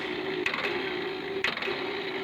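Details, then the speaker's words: Tractor starter spins with a thin, steady whir and light clicking, but there is no cranking beat and the tractor won't start; the starter gear is not engaging. It starts only after repeated stop-and-retry attempts. "जैसे ही हम self लगाते हैं तो self में सिर्फ आवाज़ आती है गिरारी के घूमने की, किर किर किर किर किर किर आवाज़ करती है, पर बाकी जो हमारा ट्रैक्टर है वो स्टार्ट नहीं होता है।"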